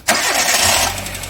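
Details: Car on lift in engine bay: sudden harsh high-pitched screech when steering wheel is turned, slack power steering belt slipping on its pulley (belt play).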